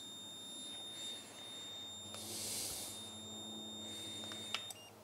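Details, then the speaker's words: Classic car cooling-fan temperature switch under continuity test: steady high beep cuts off as the cooling switch opens at 88 degrees; switch working correctly. "there we go it just happened at 88 the switch opens up again so this temperature switch is working real well"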